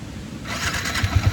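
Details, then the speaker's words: Motorcycle in Kerala after a river crossing: idle sounds normal with a steady low thump and no knock, but noise appears and grows disturbing under throttle; cause suspected from water, not confirmed. "நார்மலா இருக்குறப்ப ஒன்னும் பிரச்சனை இல்ல அதே accelerator கொடுத்தா அந்த சத்தம் வந்து ரொம்ப டிஸ்டர்ப் பண்ணுது"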